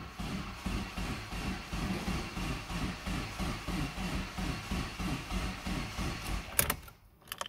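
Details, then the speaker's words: Mitsubishi Evo 4 with about 94,383 on the odometer (unclear if km or miles), cranked on a jump pack; starter drags the engine over slowly, about three beats a second, and it never catches; owner suspects the jump pack, not confirmed. "mean it turns over slowly but that's probably my jump pack"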